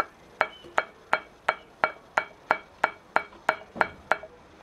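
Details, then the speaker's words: Front suspension ball joint (pivô) rocked by hand gives sharp metallic clacks about three a second; worn joint has eaten its housing and nylon bushing, can occur on both sides, cannot be repaired and must be replaced. "Oi e essa oscilação Produza barulho e é uma não xarope porque ele pode acontecer simultaneamente dos dois lados aí você tem que trocar o pivô que não tem conserto"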